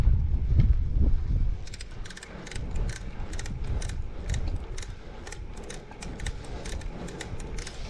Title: Torturous Clicking Sound